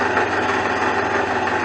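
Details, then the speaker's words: 2001 Jeep Cherokee Sport six-cylinder at idle, belt already chirping: steady idle with a faint, regular knock under the engine note, sounding like an engine knock but caused by a loose, failing power steering pump about to fall apart. "hopefully doesn't sound too good anyway it almost sounds like a rash noggin it almost sounds like a rat's knocking"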